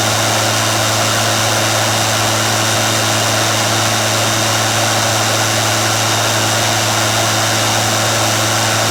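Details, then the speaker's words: Royal Power Nozzle, warmed up for a few minutes: fast, even high-pitched whir at one steady speed, no ticks or rubbing; brush roll peaked about 6600 rpm, faster than average, normal running. "So, I think I saw a peak around 6600. So, that's pretty fast. That's definitely faster than average."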